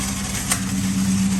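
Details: Ford Mustang Bullitt running: coarse, steady low growl and rasp; starter pinion stuck, not retracting and dragging on the flywheel.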